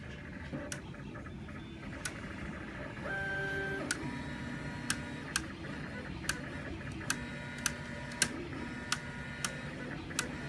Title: The clicking noise